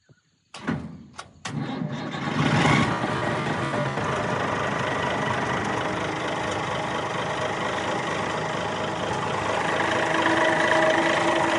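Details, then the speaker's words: 60-year-old Clark Michigan 55A loader, believed repowered with Perkins 354 diesel, cold start after a week sitting, jump pack: quick crank, catches at once, settles to steady even idle with strong low rumble; runs well despite a fast leak. "So as you can see, fired right up. This thing really does run quite well"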